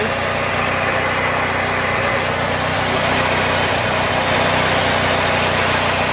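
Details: Bolens AJ Foyt 3014H lawn tractor with a Briggs & Stratton 14HP opposed twin, running after a solenoid replacement and rewiring with safety switches bypassed: steady, even idle around four beats a second, constant pitch, no misses or knocks. Normal idle.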